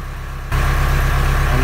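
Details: Boat diesel started in neutral after 8 days unused with no starter battery, following the lithium battery rewiring: it catches at once and settles into a steady, even chug with no misses or knocks. Normal start and idle; it is now charging.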